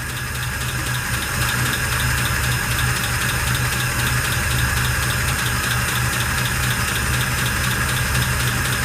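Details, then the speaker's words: 1948 Pontiac Torpedo six-cylinder, holding 40 psi oil pressure: slow, lazy, loping idle with soft uneven chuffs, reading 440 rpm, which is extremely low. Idle speed too low. "that's full open that's saying 440 rpm so that's extremely low"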